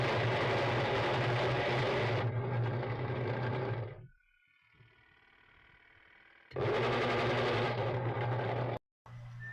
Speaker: Sobrang ingay at walang pwersa.